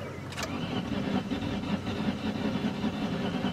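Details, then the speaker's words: 2003 Ford Taurus, sat about a year, on starting fluid: steady cranking with only faint irregular firing, nothing catches; owner thinks something may be seriously wrong with the engine; crank, no start. "I guess we'll try hitting her again. But I think there might be something pretty seriously wrong with this engine."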